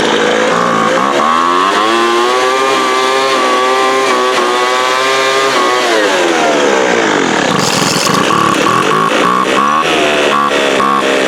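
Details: 2007 Sears Craftsman 25cc two-stroke blower, rusty thrift-store find that sat outside, just fired up: high buzz wandering in pitch, sagging and picking up, never steady; uneven running, owner suspects air-fuel mixture needs setting.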